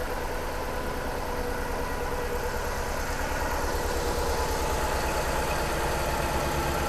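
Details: 3UZ V8 swapped into a Subaru BRZ on a Haltech ECU: lumpy idle with a repeating dropped beat as one cylinder misfires even after moving a known-good coil to it. Wiring suspected but already checked.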